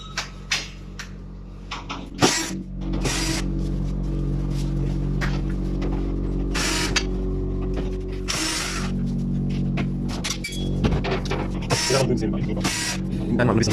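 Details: Eca Proteus Plus Blue combi boiler: steady flue fan motor hum with irregular clattering knocks and rattles over it; the flue fan is worn and noisy and wants replacing.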